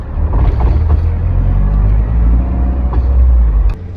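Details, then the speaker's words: Toyota AE86 rear end with newly installed Tomei T-Trax 1.5-way clutch-type LSD and OEM 4.77 ring and pinion, during break-in at slow turns: rumbling with intermittent clunky chatter from the rear end, normal break-in noise, not broken. "It doesn't matter what forum posts you read, what 3-second YouTube short you watch, it's really hard to prepare yourself for how terrible this thing sounds when you first install it."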